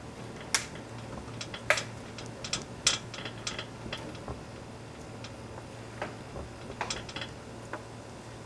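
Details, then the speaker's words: BMW E30 raised front wheel rocked side to side by hand: sharp irregular clicks and light clacks with visible wheel play; owner suspects this is the source of the suspension noise over bumps, not confirmed. "Seems to give us a little clickety-clackety. I'm going to give you guys a closer listen."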